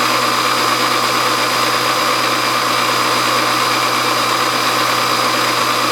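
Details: Milling a brass governor weight bracket with the feed rate turned all the way down: a steady, even cutting hiss with a constant mid-pitched tone and no chatter or squeal. A normal, smooth cut.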